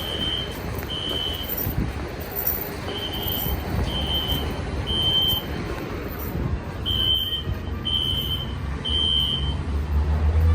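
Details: SpectrAlert Classic fire alarm horn at the Kahler Grand Hotel during a sprinkler alarm test: high, sharp beeps about once a second in short groups over low traffic rumble, with strobes flashing; going off every 11 seconds, possibly a supervisory alert, cause unknown.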